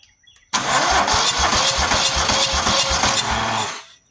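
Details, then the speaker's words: Buffalo Turbine industrial debris blower, 27 hp V-twin, long unused, air cleaner off, no ignition: about three seconds of uneven cranking with hiss on each stroke from one side; head gasket leak suspected. "I don't know if you can tell which side it's coming from, but here you hear that's the head gasket side, I believe."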